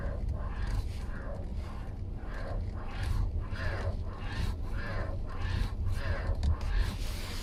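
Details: 2019 Hyundai Kona OS 2.0-litre, 25K on the clock: groaning creaks about twice a second as the steering wheel rocks back and forth; faulty steering column assembly needing replacement.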